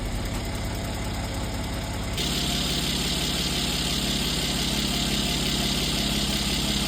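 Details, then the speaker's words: Mercedes C43 AMG M276 petrol V6 after oil change to max line with MoS2 additive: smooth, even idle with no valvetrain ticking; previous lifter tick gone. "After adding the final quarts, I did check my dipstick to make sure it was at the max line, and there you go. No more lifter noise."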